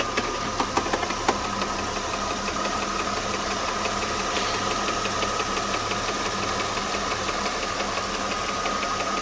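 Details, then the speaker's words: 2007 Mercedes-Benz C230, M272 2.5 V6 at idle, codes P0016/P0017: busy irregular light knocking and rattling, about three per second, same cold or warm; suspected timing chain slap on guides or failing camshaft adjusters/sprockets, not confirmed. "the noise is persistent with a cold or warm engine it does not make a difference"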